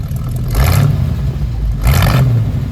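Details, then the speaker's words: 1972 Chevrolet C10 4x4 pickup, 350 cubic-inch V8, automatic: two quick throttle blips rise cleanly from a steady low rumble and drop straight back, no clatter; good sounding, healthy V8. "Oh yeah. It's a good sounding truck."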